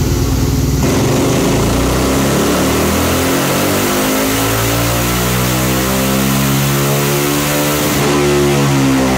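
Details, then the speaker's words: Yamaha Raptor 700 single-cylinder ATV after tuning: engine revs up and down smoothly, no popping, sounds healthy. "Sounds so much better though. It's not popping, it's not going crazy, it sounds healthy."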